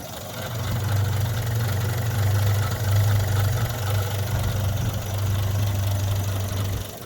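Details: 1963 Rover P4 110 2.6 manual with overdrive, showing 10463 miles (unverified), idling right after a quick start: low steady idle with an uneven beat and the odd dropped pulse; a slight idle misfire, cause not confirmed.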